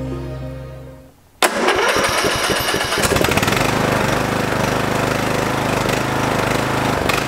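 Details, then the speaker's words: Free Craftsman lawn tractor that had sat unused since 2017, after cleaning and a new spark plug and fuel filter. It catches after a few cranks and settles to a lower, even idle with an occasional miss, possibly a failing ignition coil; running much better. "that is running so much better actually the idle's down i'm impressed just a miss every now and then"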